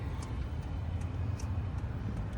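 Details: HCalory TB2 Toolbox 2 diesel heater on first run, power turned up via remote: steady low rushing burn with soft regular fuel pump ticks about twice a second; running normally.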